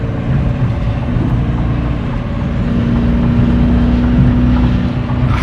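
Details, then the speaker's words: SRT 392 Challenger with 8-speed transmission pulling hard on the highway; a faint steady low whine, rising slightly with speed, is heard over heavy engine and road roar. Source not identified. "I know y'all hear a slight whine. That's no edits neither."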